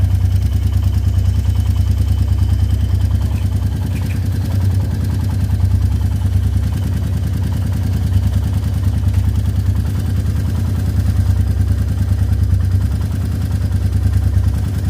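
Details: Royal Enfield Meteor 350 single-cylinder at idle after 10,000 km. A steady thump with a light, quick ticking clatter on top; tappet noise is suspected, not confirmed.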